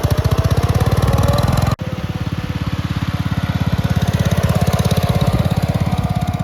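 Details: Red 1962 Bolens Ride-a-matic tractor, after repairs, driving outside: steady low thumping beat around 200 pulses a minute, even and strong, no misses or knocks; normal running.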